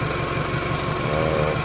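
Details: 1998 Toyota Camry, 154,000+ miles, idling after repair of a failed water pump bearing that took out the timing belt: a smooth, even low idle with a steady pulse and no knocks, ticks or squeals. Recorded on a phone. The engine sounds healthy.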